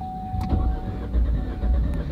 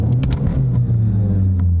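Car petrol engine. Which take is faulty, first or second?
second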